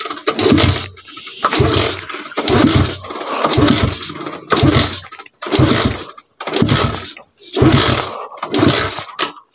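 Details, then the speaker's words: 125 cc pit bike single, kick-started without throttle: nine bursts about a second apart, each splutters and dies; won't idle, stalls without throttle, owner plans idle screw adjustment. "Ale když dám plyn, jo? [Hudba] Tak to hn tak to hnedka chcípne."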